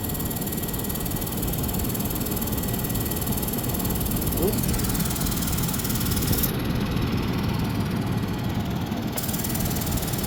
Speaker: All right, testing the alternator now after I got everything installed. Sounds different. It's not squeaking at least, but let's just see how it does.